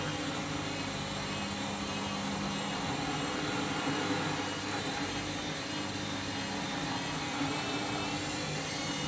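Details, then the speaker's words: Candy washing machine overloaded with a big load, spin cycle: loud roar with an uneven throbbing surge each turn but no drum banging on the cabinet; drum badly out of balance, possible sud lock suspected. "At least it's not hitting the side of the drum, because you usually hear that. That's pretty out of balance now."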